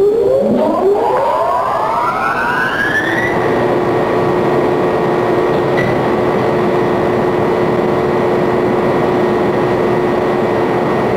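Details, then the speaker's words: Pump impeller accelerating into cavitation in a closed water loop, seen through a transparent housing: a siren-like whine climbs for three seconds, then holds steady over a dense, gritty cavitation hiss. "so you are witnessing the acceleration of an impeller into cavitation as perceived by the naked eye through the transparent housing in a closed water loop"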